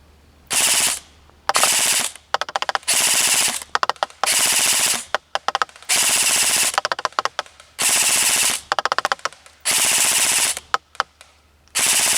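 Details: Krytac LMG Enhanced airsoft gun at 345 fps, full-auto firing test at 40 m range with 0.25 g BBs: repeated rapid bursts of sharp, evenly spaced shots with clean stops; gearbox cycling normally.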